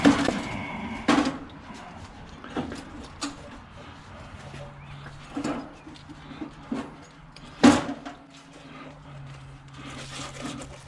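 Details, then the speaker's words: Removed engine being carried and set on the floor: irregular hollow clunks as a loose piece tumbles around inside the sump. "heard something bounce inside the engine in something loose inside that sump dropped definitely a loose piece in there"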